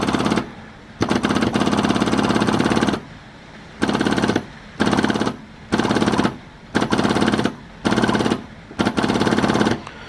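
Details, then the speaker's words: 1930s Morris 8 Series 1: after the SU electric petrol pump was tapped and its points put back in with the ignition on, it ticks in rapid chattering bursts of one to two seconds with short pauses. The fuel pump is working normally. "okay that's the points back in ignitions back on oh there we go working fuel pump once more"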